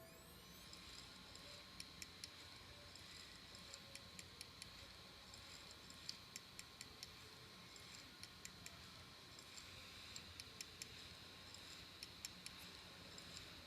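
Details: Samsung ST1000LM024 laptop hard drive from a Samsung laptop: quiet sharp clicks about every half-second to second over faint steady hum; damaged, failing drive clicking.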